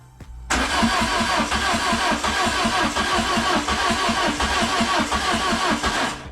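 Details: Peugeot 106 with a swapped-in XU7JP4 petrol engine, tested after wiring-harness work: the starter churns at about three pulses a second for six seconds but the engine never fires. The owner considers a Xantia ECU or start spray. Cause unconfirmed.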